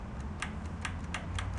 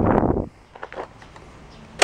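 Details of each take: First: Junk riding mower/tractor engine, key turned on before opening the fuel system: light crisp ticks, ~4–5/s, over a low hum. Fuel shutoff solenoid firing normally; without it no fuel reaches the engine. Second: Junk lawn tractor's engine, which has a full tank, primed and cranked on choke: starter churns unevenly for several seconds with no firing; fuel starvation.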